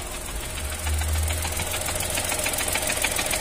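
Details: Chevrolet Onix 2022, 3-cylinder, with an aftermarket Helper clutch fitted at 62,000 km, now at 70,674 km: fast, uneven metallic rattle over a steady idle that changes as the clutch is released; clutch disc damper spring rattle.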